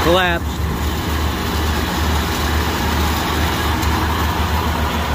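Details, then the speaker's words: 1997 Ford F-250 HD 4x4 7.5L V8 on startup: cranks and settles into a rough idle with a gritty scraping rattle from an A/C compressor clutch collapsed on its face (a water pump was suspected). "what was making the noise was the clutch it's collapsed on the face and it's jarring around and making all kinds of noise when you start it"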